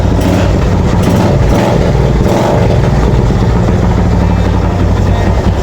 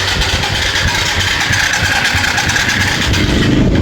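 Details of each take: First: Yamaha FZ motorcycle that would not start now idles steadily with an even, low exhaust beat and no misfires after the carb was cleaned and water was found in the tank. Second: Old Yamaha FZ motorcycle cranks, churns and sputters about three times a second, firing briefly but never staying running; strong spark at the plug, so fuel tank to be checked for water.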